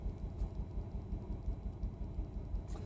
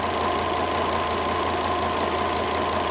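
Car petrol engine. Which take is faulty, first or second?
first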